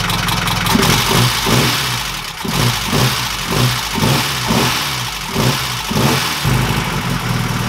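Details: 1969 Ford Capri after adjusting valve clearances: uneven idle with rhythmic surging and light tapping still ticking through; quieter than before, but maybe one follower still taps.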